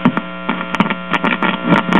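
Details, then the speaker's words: 1946 Belmont 78 rpm record player: amplifier works, but the cartridge gives almost no output, so a steady low mains hum with faint crackle dominates; hum pickup from a failed phono cartridge. "however the cartridge has a little bit of output but not [Music] much actually that's more hum pickup than anything else"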